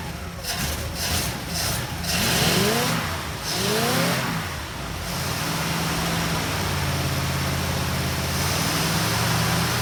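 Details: 1960 Pontiac Ventura barn find V8, rebuilt Tri-Power carburetors, after timing adjustment: uneven, lumpy idle with wavering speed; owner suspects timing slipped, unsure, and too much fuel.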